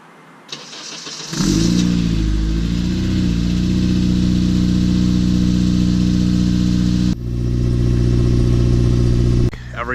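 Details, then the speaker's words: Honda after new exhaust installed (crack found on both sides, quickly welded, spring bolts on), first start checking for leaks: brief crank, catches, then a smooth, very quiet idle with a low even hum, no ticking or exhaust puffing. Normal. "Everything sounds good. It's actually really, really quiet."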